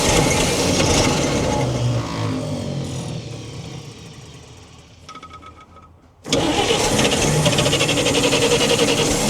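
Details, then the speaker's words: 1942 Chevrolet Blitz CMP 4WD truck, 216 petrol straight-six, gravity-fed carburettor, low fuel in tank: catches and runs rough, fades and dies, refires on cranking; owner says carby problem, it's just flooding. "Got a carby problem. It's just flooding."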